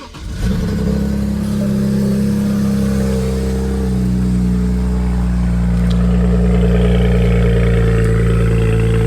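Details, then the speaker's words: BMW N54 with uncatted downpipes just installed, started via jump pack after a fuse fix and earlier cylinder misfires: engine catches after a brief crank and settles into a deep, loud, steady drone. Loud exhaust after downpipe install; the engine later shut off. "It's actually pretty loud."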